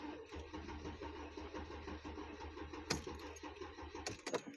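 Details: 2007 Mercedes-Benz E350, intermittent then crank no start, new battery: starter churns steadily but never fires; crankshaft position sensor replaced per codes, no change; failed in-tank fuel pump found as cause.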